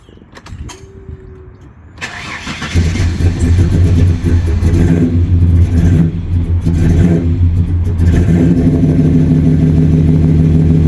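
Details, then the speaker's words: 1997 Ford EL Fairmont Ghia 4.0 inline-six, just fitted with a Crow Stage 4 camshaft, untuned: cranks, catches, lumpy uneven idle with irregular popping; running far too rich, throttle held slightly open, idle too low. "so I think it's still a little bit too rich you can hear it popping and all sorts so it's still dumping a hell of a lot of fuel in there"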